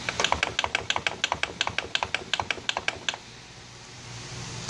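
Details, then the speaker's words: NV247 transfer case removed from a 2004 Jeep Grand Cherokee with long-running driveline vibration: sharp dry clicks, about five a second, felt at the rear bearing boss as the front output yoke is rocked by hand; suspected bad bearing, rebuild planned. "if I listen back here on the rear bearing boss I can hear it and feel actually the clicking coming from back there so I'm going to rebuild this transfer case and see if that doesn't fix my problem"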